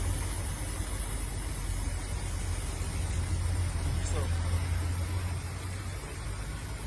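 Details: BMW 745 at idle: low uneven rumble with irregular stumble, a misfire; suspected broken ignition coil or its boot, unconfirmed.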